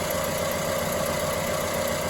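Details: Multicylinder petrol engine idling unevenly with a stumbling beat, one cylinder dead with its injector unplugged, found by the much cooler exhaust runner temperature.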